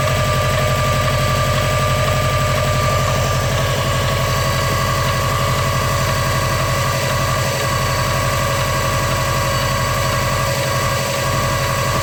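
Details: Engine at idle with a steady, quick even pulsing a little over two per second and a faint ringing tone on top; abnormal weird noise, cause unclear.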